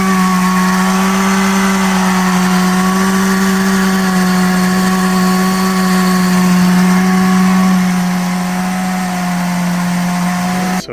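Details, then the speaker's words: 2015 Subaru Forester FB25 2.5i with a DIY Eaton M65 supercharger on a new 93 mm pulley, about 5 psi, at idle with the pulley engaged and inlets uncapped: a steady high whine over a smooth idle, normal. "so what I'm going to do is start it up listen to the new probably much louder Idol wine when the supercharger pulley is engaged"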